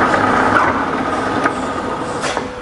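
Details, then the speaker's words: Fully rebuilt Bridgeport belt-drive mill with head gear in high range: brake applied, then spindle run in reverse in both motor ranges with a light steady whir and no knocking or grinding; quiet and healthy. "I'll just hit the brake just to show you it does work and then reverse it's just as quiet in both ranges on reverse as well"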